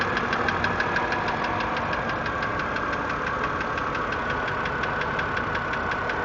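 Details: 2008 BMW 328 (E90) petrol engine on cold start after sitting parked outside for 24 hours: fast, steady tapping knock riding over the idle.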